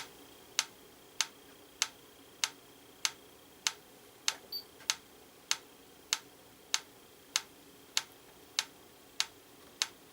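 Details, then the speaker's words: Franz FB-4 electric metronome, AC line-frequency referenced, during calibration: clean even ticks about every 0.6 s, near 98 BPM instead of 112 BPM. Runs slow; tempo miscalibrated, needs about 535 ms per beat. "I think we want 535 milliseconds will give us the 112 beats per minute we want to go in quite a bit because it looks like we're currently at 98 beat"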